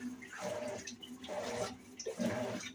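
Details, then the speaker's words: Electrolux LEC14 washing machine after replacing the cam part in the agitation mechanism: water swishes quietly during agitation, earlier loud noise in agitation and spin gone. "Depois que nós trocamos a peça aqui, ó, pode perceber que o barulho ele sumiu."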